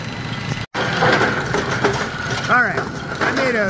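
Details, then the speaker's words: A Brunswick A2 pinsetter's GB cycle linkage, retested after a dashpot plunger adjustment at 180 waiting for pin, runs a clattering cycle with ratchet clicks and a brief chirp. The linkage over-travels and fails to latch. "all right here we go oh no we went too far it didn't latch"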